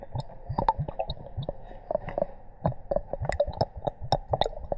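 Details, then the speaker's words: Kawasaki ZX-12R after coolant flush and refill to the cap, engine off: moving and squeezing hoses produces irregular wet gurgles and squelches as trapped air works out and the level drops; air trapped in cooling system being bled. "And what we're gonna do is we're gonna move these hoses around. It's making little bubble sounds."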